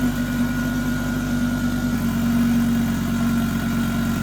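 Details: Fully rebuilt big-turbo 900 bhp Mk2 Ford Focus ST idling after oil and coolant top-up: a steady low rumble with a faint whine and no knocks or misses. Normal idle.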